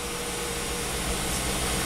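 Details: Volvo wagon after crank no-start repairs, codes cleared, fuel pump controlling pressure at about 55 PSI with 50% pump duty cycle: steady even idle with smooth hum and faint hiss, no knocks or misses; engine running properly.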